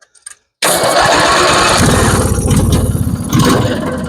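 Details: Twin-cylinder Craftsman riding mower that would not start, after installing a new ignition coil: fires on the first try and settles into a steady, fairly even run with a brisk exhaust beat; starting and ignition sound fine.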